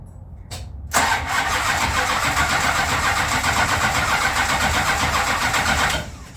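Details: Plymouth Road Runner sitting a year after engine overhaul, rear-mounted battery with thin cables and a jump box: five seconds of strong, even cranking at about four beats a second with no firing. Crank-no-start, fuel starvation; owner also suspects distributor 180° out.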